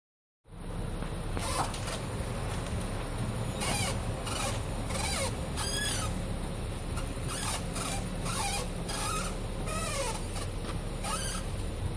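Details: 2008 Nissan Maxima while driving: short high creaks and squeaks repeat irregularly over a low rumble, seemingly from around the driver-side front wheel.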